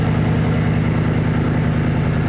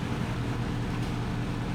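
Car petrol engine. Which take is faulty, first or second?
first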